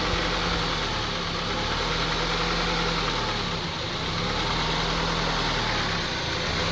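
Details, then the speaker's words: 2002 Honda CR-V 2.4L four-cylinder idling unevenly, low drone wavering and dipping as revs hunt up and down, also stalling; rough unstable idle, cause not yet found, IACV and throttle body under investigation. "you see, the on idling, very rough idling. So we try to figure out what's caused this, diagnose this, try to fix this issue."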